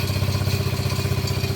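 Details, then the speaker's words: Quad ATV that sat without starting, running at idle: quick, regular low thumping with clatter and smoke; owner suspects internal issue such as worn rings, not confirmed. "think we got some other issues. Maybe some rings are fried, maybe? So I'm wondering if it's not an internal issue."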